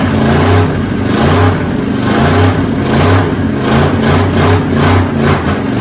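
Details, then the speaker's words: 1969 Ford F100 V8, sat for years, just revived and running on open pipes: loud, rolling, lumpy pulse with a little throttle play, running steadily and sounding strong. "We got her busting carbon. This carbon is so old, we might have to carbon date it. But this truck sounds really super good."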